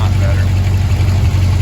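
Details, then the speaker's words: 1971 Chevy C20 camper with a recently rebuilt 350 V8 and 61,000 miles, idling after a leaking exhaust connection was tightened: a deep, steady idle with no puffing or ticking; exhaust leak sealed, sounding cleaner. "oh got it sealed back up and now it's running sounding a lot cleaner and a lot"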